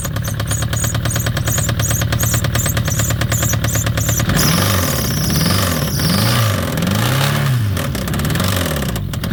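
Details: Citroen ZX 1.9 starting: a few seconds of rhythmic cranking, then it fires into an uneven cold idle with a hard knocking underneath. The engine knock's cause is not identified.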